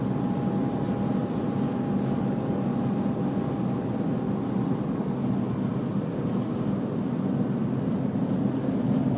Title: Bmw e46 330 whine noise